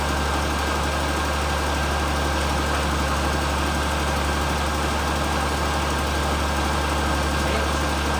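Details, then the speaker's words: 2003 Perodua Kelisa 1.0 (hot no-start problem) after fitting grounding (bonding) cables, air conditioning on; idle a little over 1100 rpm, smooth even low hum with no misses or knocks; owner thinks install made it steadier, normal idle. "Bacaan dia 1100 lebih sikit. Mungkin sebab kita punya pemasangan ni lah, dia lebih stabil."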